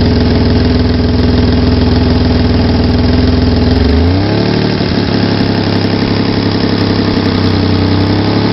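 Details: Loud idle with fast, uneven ticking puff that shifts as revs drop; owner suspects exhaust leak around manifold to catalytic converter, or normal sound.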